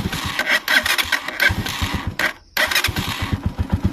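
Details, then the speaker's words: Motorcycle restarted with idle screw set too low: uneven popping that stumbles and nearly dies before catching, hard restart; idle too low makes it stall, fixed by blipping throttle and raising idle slightly. "Kaya i-start ulit natin. Nahirapan na siya,"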